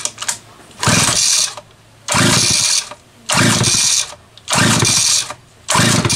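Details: Homelite 330 chainsaw test run after intake boot replacement, the only fault found: two-stroke snaps up to a high scream about once a second and drops back to a steady idle; runs clean and even, normal.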